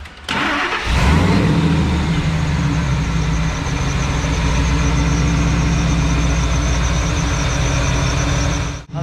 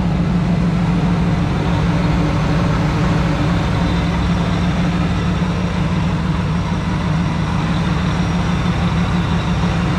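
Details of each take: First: Truck (Lightning) engine started and idling, thin chirpy squeak over the rumble from a dry idler pulley bearing going out, individual bearings audible; to be repacked with grease rather than sprayed with WD-40. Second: Supercharged Ford Lightning truck with an open intake, idling after its idler pulley bearings were repacked with grease: a steady, loud idle with intake rush and supercharger whine, and the earlier pulley squeak is gone.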